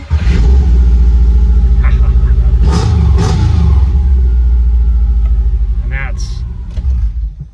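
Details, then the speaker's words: Subaru EJ25 in a VW Vanagon Westfalia after a timing belt job, heard from inside the vehicle: catches immediately and settles into a deep, steady, even idle with no ticking or knocking; fires right up like it used to, healthy. "how it used to be just fires right up"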